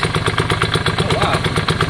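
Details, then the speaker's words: Yamaha Virago V-twin idling after exhaust swap and carb clean: uneven, lumpy, loping idle; front cylinder stone cold and thought not firing, and engine kept running when its plug cap was popped, pointing to a dead front cylinder. "i don't think it's on jon i don't think that front cylinders on is it let's get that spark plug cover off and we'll do the spark plug pop test"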